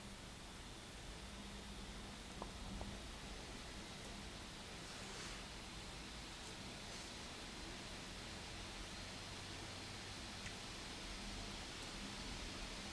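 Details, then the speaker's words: Lenovo Y540 17-inch gaming laptop, about 2 feet away, rerunning Cinebench after undervolting: a steady airy rush at full fan speed with no rattle or whine, and the CPU now stays under 90°C versus 94°C before; normal. "Alrighty, so we're at full fan speed again, but as you guys have probably noticed, we didn't even hit 90 degrees Celsius this run through."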